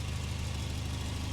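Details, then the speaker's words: Late-90s car with a 2.3 litre red block 8-valve small-turbo four; head gasket was a past issue. Steady, even low rumble with smooth firing and no knocks or ticks at idle. Healthy, normal idle. "Oh, that sounds absolutely lovely. As you can see, it runs perfectly fine."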